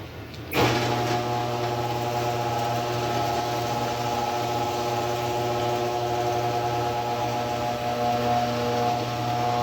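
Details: Older Genie 3060L screw-drive garage door opener after replacing the carriage (part 36179.S) that caused grinding and stopping: a steady, even motor hum for about ten seconds, pauses, then restarts cleanly, running smoothly.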